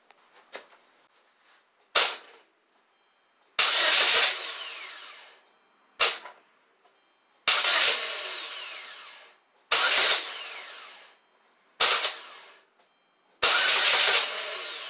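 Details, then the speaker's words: 2007 Saturn Ion 2.4 Ecotec, intermittent crank no start, code P0336 (crankshaft position sensor): sharp starter clicks alternate with brief whirring crank bursts, engine never catches; sounds like a bad starter but the starter is not the cause. "so here's the thing that first attempt that you heard it sound like the starters defective but it's not"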